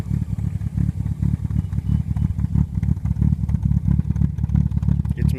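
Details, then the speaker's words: 1957 Morgan Plus 4 with Triumph TR4 engine (about 2188cc), cold start, good oil pressure: lumpy, uneven low idle pulsing about ninety a minute, stumbling and rich because it is still choked. "that sound because it's still choked"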